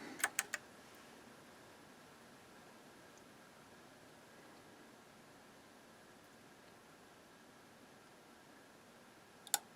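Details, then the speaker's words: Sony TA-F40 amplifier at power-up on the bench during repair. Crisp clicks as the first and then the second protection relay pull in over a quiet hiss. Normal engagement, with no arcing heard this time and a 167.5 V rail reading normal. "I heard the first video I got clicked there and then I heard the second relay click"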